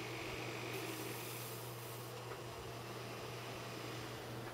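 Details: Old eMachines/Acer desktop upgraded to AMD Ryzen 3 2200G, board can't control 3-pin fans: steady loud airy whoosh with a low hum and no speed change; rear case fan stuck running wide open on a 3-pin header.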